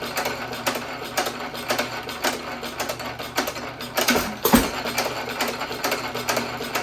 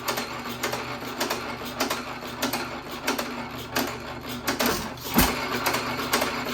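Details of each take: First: 1917 Economy hit-and-miss engine with higher-compression aluminum piston refitted in place of low-compression slug, buzz coil ignition, same speed setting: regular beat about twice a second, firm compression, no blow-by hiss past rings. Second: 1917 Economy hit-and-miss engine with old piston refitted, set to run as slow as possible (about 180-200 rpm low end, 250 high): slow uneven firing with long gaps, flywheels nearly standstill, just about stalling.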